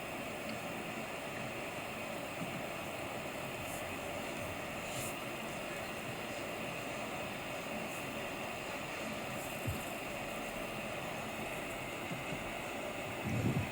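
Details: MacBook Pro with an external monitor (even at 1080p) and no apps open: the dedicated GPU is forced on, so the fans run above 2000 rpm and the temperature exceeds 70°C. A constant, airy, rhythmless fan roar.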